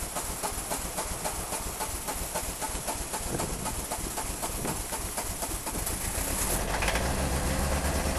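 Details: Peugeot 306 XLdt diesel, cold: two glow-plug cycles and long, even cranking near four turns a second before it finally fires, then revs slowly with pedal floored; hard start caused by two dead glow plugs.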